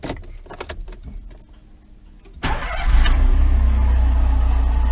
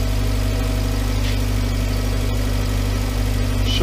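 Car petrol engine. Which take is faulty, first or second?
first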